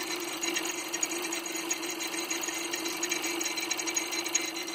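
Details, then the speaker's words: 2014 SEAT Leon 1.2 TSI with rough idle and a low fuel pressure code: fast sharp ticking over a rough, uneven idle that sounds like camshaft or timing belt, but it comes from the failing high-pressure fuel pump, confirmed by unplugging it. "so what it really was is it's coming for the high pressure pump and to prove it I disconnected the wire from the thing there it's here and that noise comes back immediatel"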